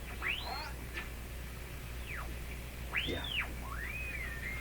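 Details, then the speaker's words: Hallicrafters S-40A shortwave receiver, first power-up test: over faint hum, whistles swoop up and down in pitch as the dial is tuned. The BFO probably needs adjustment; cause suspected, not confirmed. "So probably the BFO needs adjustment to work really correctly."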